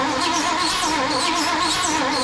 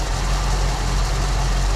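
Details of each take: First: 1974 Ford Bronco, not started in over 16 years: steady cranking about three compressions/s for thirteen seconds, never fires; no fuel, fuel pump long dry. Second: 1974 Ford Bronco V8 just after first start in over 16 years, following fuel system work; owner thinks all 8 firing, low steady smooth idle with no misses or knocks; runs great.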